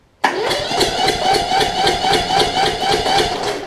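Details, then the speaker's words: Toro Z5000 zero-turn with Kohler Courage V-twin: uneven chuffing idle, about four puffs a second, pushing back out through the intake. Cause was an improperly adjusted, too-tight intake valve, fixed by adjusting it and the choke. "you can probably hear it in the in the video hopefully but you'll hear almost like an exhaust pushback from the engine here"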